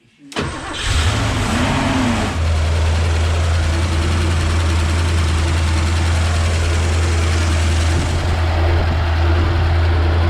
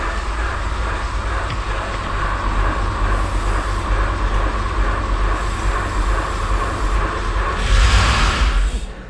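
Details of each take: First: Porsche 928 4.7 L K-Jetronic V8 after sitting 20 years, once a blockage was dislodged and fuel flowed non-stop: cranks, catches within a second, and settles into a smooth, steady rumble, idling happily by itself; normal idle. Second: Porsche 928 4.7 L K-Jetronic V8, first start attempt after sitting 20 years, before the fuel tap was opened: starter churns about three turns a second without catching; no start, throttle plate found stuck open.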